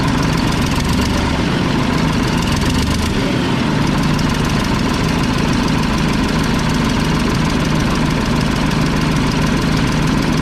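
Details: Mack tank truck, about a 1995 model with 122,000 on the odometer, after tightening the injector lines. Its loud diesel idle has an uneven, lumpy beat with one cylinder dropping out. A loose delivery valve is suspected; there is also a bad exhaust leak and a fuel leak.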